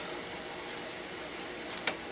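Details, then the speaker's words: Califone 3132AV desktop cassette voice recorder: even, quiet whirring hiss during rewind with no drag or squeal; tape rewinds at a healthy speed. "está la velocidad con la que rebobinar lo suficientemente rápida"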